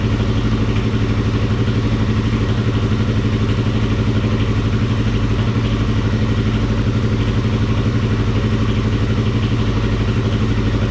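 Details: Kawasaki KFX400 ATV single-cylinder engine after crankcase replacement and reinstallation, steady even idle thump, no knock, rattle or stumble; healthy motor, though carburetor still leaks gas and water pump antifreeze drain was found loose.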